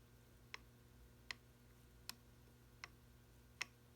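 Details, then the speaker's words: Mercedes 190SL Solex carburetor, second barrel: five sharp dry clicks over a faint hum as the throttle lever is moved; the butterfly shaft is worn with excess play in the carburetor body. "uh second Barrel butterfly and the shaft have gotten worn out and in this instance uh you can hopefully you can see it and hear it we have excess shaft wear in the body"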